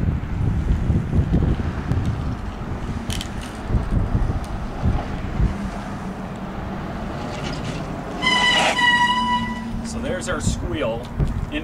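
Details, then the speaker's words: Sharp high squeal from a bicycle disc brake, fairly bad, before applying Squeal Out treatment paste to both sides of the rotor. "hi my name is Mark and I'm going to show you how squeal out disc brake treatment gets rid of a brake squeal on disc brakes this one's kind of bad"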